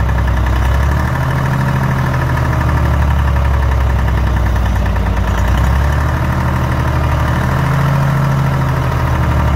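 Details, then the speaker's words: DROTT excavator with a Detroit diesel, revived after sitting 15 years: deep, even diesel rumble swelling as it revs up and settles, running cleanly with no knocks or misses. "take a listen of this Detroit running"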